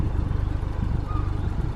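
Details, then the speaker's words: Ford Fiesta ST180 with Milltek exhaust, after rattle fixed by welding at a shop: deep, steady exhaust pulse at idle, even beat, no metallic buzz or tinny rattle; normal exhaust, no rattle. "she's nicely welded she's clean there's no rattle she sounds great it's just all good times"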